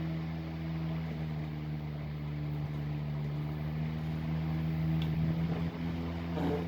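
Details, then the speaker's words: 1910s desk fan running after lubrication: steady smooth low hum with faint siren-like tone, no scraping or rattle; bearings quiet, fan healthy and moving a lot of air. "There we go, that's perfect, that's how it should be. That is moving a lot of breeze."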